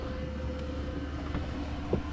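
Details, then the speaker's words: Newly installed 2kW diesel heater in micro camper van, running about an hour on setting six (full output); steady low roar with even fan and burner hum, no surging or popping. Normal running. "uh it's been running before about an hour"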